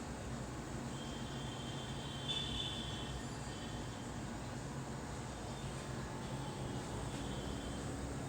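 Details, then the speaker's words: Samsung AR18AY5YATZ air conditioner outdoor unit at night, phone one step away, compressor on: steady hum and airy rush with faint high tone, slightly loud but not much, no knocks; normal running. "And this is the sound when the compressor is on. Right now my compressor is on. You can hear the sound is a little bit high, but not that much high."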